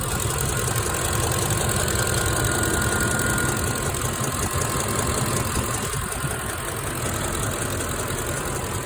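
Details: 2006 Ford F150 5.4L V8 idling with a steady ticking about three per second from both sides, louder when hot; driver's side sounds like chain rubbing; new plugs and coil fitted, passenger rockers and camshaft looked fine; cause not found.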